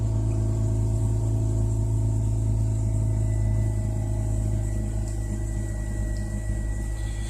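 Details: Rotary car after installing T-ReX ignition coils and resetting the computer, warmed up then shut off and restarted: steady low, even idle hum with no stumbles; runs cleanly, no longer floods.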